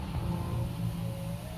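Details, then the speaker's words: 2007 Chevy Tahoe passenger power window running after a faulty switch fix with an added relay. A steady motor hum with a whine that rises slightly as the glass travels, running smoothly without binding; normal operation. "Oh. And it works. Sweet. You can hear that relay clicking that we installed."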